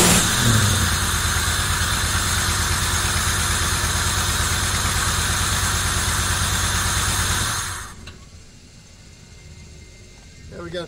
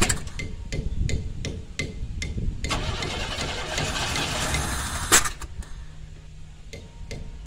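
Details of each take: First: 1990 Camaro RS, first start after sitting 12–13 years: new fuel pump, sending unit, fuel lines blown out, new plugs, firing-order wire mistake fixed, timing not yet set. Smooth steady idle, no misfire or stumble, then shut off. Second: 1990 Camaro RS V8 first start after 12–13 years sitting, new fuel pump, fuel lines blown out: sharp cranking beats then rough, stumbling, uneven firing; misfire from two spark plug wires swapped out of firing order.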